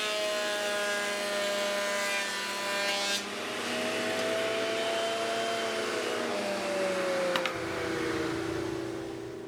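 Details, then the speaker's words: 3D-printed industrial dust collector fan with bag, running on MDF sawdust and small wood chips: steady fan roar whose tone drifts as chips rattle through; running smoothly and sounds healthy. "actually looks good and it really sounds good and it seems to perform pretty well"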